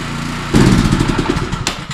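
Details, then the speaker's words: Power washer small single-cylinder engine after carburetor cleaning, started on choke: catches with an uneven, stumbling beat, missing and surging; owner suspects leftover old fuel mixed with new, cause unconfirmed. "runs a little sloppy. That just might be that super old fuel that's in there, because I did mix the two because I couldn't really drain it all out."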